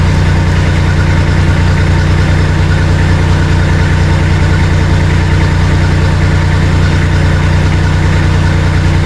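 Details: Bomag BMP 8500 compactor after fuel-starving and throttle issues were resolved: a steady, even low diesel thrum about three pulses a second with no misses or surging. Healthy idle.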